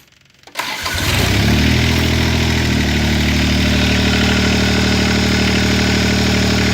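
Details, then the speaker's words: John Deere 430 lawn tractor with three-cylinder Yanmar diesel, after replacing the leaking fuel line that let air into the lines. Catches quickly and settles into a steady, even idle with no misses. Normal idle; rough running fixed. "really great so there you have it problem looks like the problem solved"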